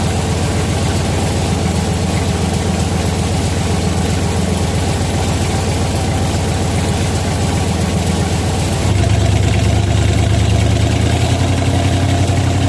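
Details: 1967 car with 12-bolt rear end, used junk ring and pinion gears, on jack stands at about 50 mph: deep rough growl, like a freight train, pulsing steadily and swelling with load changes; worn ring and pinion gear noise, 3.31 set possible later.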